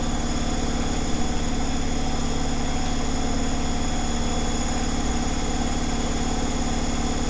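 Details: Zanussi Flexi Dose ZWG7160P washer on final spin with an unbalanced load, held around 1000 rpm instead of 1600 rpm; steady low hum with a heavy thump two or three times a second. Once rebalanced it spun at 1600 rpm without crackling.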